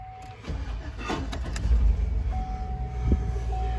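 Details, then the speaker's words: Old Tahoe being cranked: uneven cranking with scattered clunks and a thin tone over the starter. The owner doesn't know what the peculiar noise is. "don't know what that noise is. That's starting to be a little bit peculiar."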